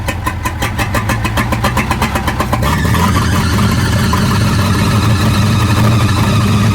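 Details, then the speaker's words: 1937 Buick Roadmaster straight eight, a new project with wiring issues, started at a fast idle that won't drop because the throttle stuck open. The gas pedal linkage is loose, not fastened down and dragging. "Well, I didn't let the hood down. Throttle stuck. The throttle's on."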